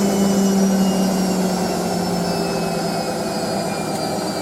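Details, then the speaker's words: Hotpoint 9530 Electronic 1000 Plus, Programme 4 50°C coloured synthetics, polyester/cotton load: the final short spin. A steady high drum roar with a clean motor tone, no knocking or scraping; normal high-speed spin. "Of course, we don't shoot up to speed just yet, though. Your machine just around reach 1,000, but try to go as fast as you can go."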